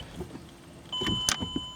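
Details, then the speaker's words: Chrysler Pacifica that was stuck in park, after installing a Dorman aftermarket shift interlock piece: key on, brake pressed, a short sharp click from the solenoid under the shifter and it shifts into gear. Normal shift interlock solenoid operation. "hit the brake. I hear the solenoid, so it won't come out now. Hit the brake, it will come out and go into gear."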